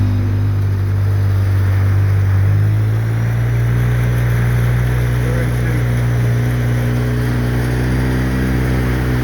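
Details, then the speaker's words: 2013 Polaris RZR 800S 2.0 after an engine rebuild, driving: a steady, even low drone with no knocks or rattles. The motor sounds okay and the rebuilt engine runs healthy. "anyway yeah he's doing all right motor sounding okay hear something I don't but motor sounds okay"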